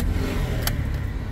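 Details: Toyota Wigo with P0203 injector #3 circuit code: lumpy, uneven idle with a heavy low thump and missing beats; cylinder 3 misfiring because its injector wire was cut.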